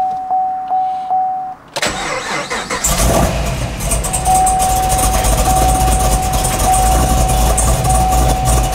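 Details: Synergy green Camaro V8 being retuned with HP Tuners after a rough tune; chimes, short crank, then a loping uneven cold idle. Idle and lean spots still need fixing, and the wideband reads no air-fuel until its O2 heater warms.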